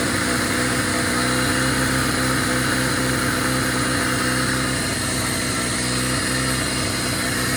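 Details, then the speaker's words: 1997 Jeep Wrangler TJ (2.5), after replacing throttle position sensor and IAC valve for surging idle: steady fast even drone stuck around 2,000 rpm, never settling; code set, owner suspects TPS; not confirmed. "It's still punching a little bit. Yeah, it's now it's pegged at two grand. What the hell?"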